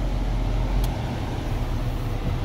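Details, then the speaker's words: 2012 Toyota Prius V after replacing the noisy, rumbling AC/heater blower motor behind the dashboard: steady, even low hum of the blower with no rumble, rattle or grinding. "all right oh man yeah she's blowing out the vents great i hear no noise from the motor down there"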